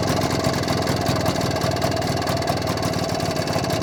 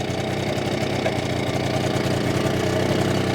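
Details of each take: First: BSA D7 Bantam two-stroke under restoration, after checking the timing and a fine tweak: fairly even fast tickover without misses, running smoother than before. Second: BSA D7 Bantam two-stroke under restoration, running during carburettor adjustment: uneven stumbling beat with occasional pops, misfire and backfire; owner suspects the ignition timing has slipped and plans to check it.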